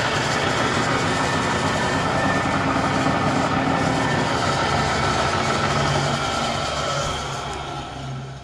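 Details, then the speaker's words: Bridgeport Series 1 2HP variable-speed J-head before repair, noise worsening over time: loud, rough racket with fast, fairly even clatter over a rubbing hiss. The owner suspects the upper vari-speed half, not the spindle bearings or bull gear. Worn belt, pulley bushings and bearings. "the head started making tons of noise uh slowly getting worse over time I finally decided to tear it apart and get it fixed up"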